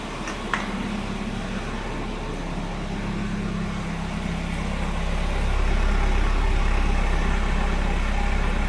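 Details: Volvo 740 that always idles rough after a cold start, with a low, deep idle that wavers and swells on an uneven beat; it dies if very cold but restarts normally. Wet spark plugs are noted, but the cause is unconfirmed.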